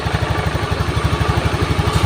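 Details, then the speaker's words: Honda Beat injection scooter, single cylinder, smooth low idle at about eleven beats a second with no misses, after a faulty wiring path causing total electrical and ignition failure was fixed; charging measured normal. "Oke, ini motor sudah hidup, pengisian sudah normal, kabel-kabel dikembalikan seperti semula ya."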